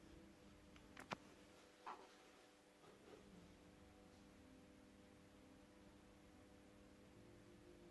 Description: I must say that it gives sound to the speaker but its popping like on the video..